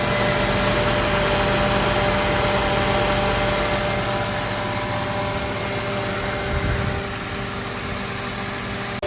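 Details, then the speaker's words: 2006 Toyota Corolla at idle after radiator fan replacement and coolant refill: steady fan whoosh over even idle, faint click as fan cycles off and on; new cooling fan working properly. "after you've installed it, you can hear it turn on and off. So it's just turned off right now, and then I'll click back on. So that's what it's supposed to do."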